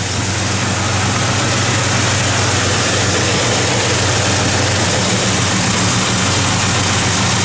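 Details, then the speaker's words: 1970 Chevrolet Chevelle SS, restored, 454 ci crate V8 with Holley 4-bbl, Hooker headers and Flowmaster dual exhaust, started on a cold day: deep steady idle with slight lope; healthy engine with a mild cam. "Go ahead and fire it up. Yeah, nice little cam to it."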